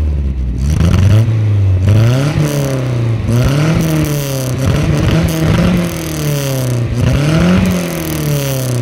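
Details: Nissan 1400 bakkie with new exhaust, repeated revs: blips rise and fall cleanly with no front rattle or diesel-like clatter, since the loose crankshaft pulley that caused it was fixed; healthy engine.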